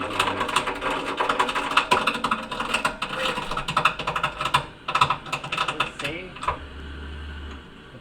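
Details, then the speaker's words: Navien unit burner: irregular sharp pops and crackles in rapid clusters when the blower slows, fading as the blower runs harder; outlet running 100–105 against a 120 setpoint. "popping is happening when the blower is not running as hard."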